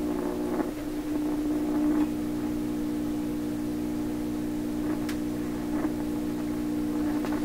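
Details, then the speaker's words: 1928 RCA Victor Model 28V radio: steady low 60 Hz mains hum, consistent throughout tuning, with occasional crackles and bumps as it is tuned. "Now that sounds like an ordinary radio hum to me, 60 cycle hum. Okay, it's consistent all the way through there."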